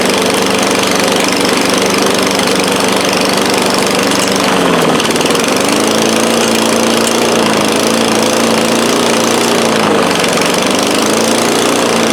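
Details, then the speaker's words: 2013 Craftsman lawn mower, thrift-store find, running after priming: harsh, raspy, loud single-cylinder bark dipping and recovering with load; loud exhaust from broken muffler letting exhaust out unsilenced. "I get you guys in here thing actually didn't run too bad a little loud"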